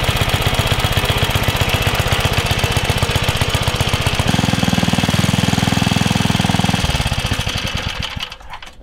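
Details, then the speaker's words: 1978 Troy-Bilt Pony tiller, revived after sitting for years, with new axle seals: a single-cylinder putter holds a fast, even beat under load after the air-fuel mix, which was way too rich, was adjusted. It runs clean and healthy. "seemed to work okay hopefully i don't know if it was in frame but i adjusted the air fuel mix and it cleaned up really well"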